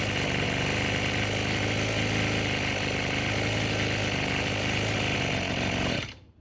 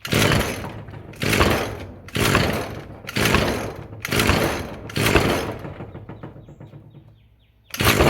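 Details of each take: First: Roadside-found Echo SRM-210 two-stroke string trimmer after replacing the deteriorated purge (primer) bulb, fuel lines, fuel filter, grommet and air filter: buzzes at a steady high speed without stumbling or surging, then shuts off cleanly; running healthy. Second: Roadside-found Echo SRM-210 two-stroke string trimmer, first start on choke after fresh-fuel rinse and new purge bulb: buzzes up in bursts about once a second, then sags and dies when throttle drops; won't idle unless held up, idle screw bent and set too low.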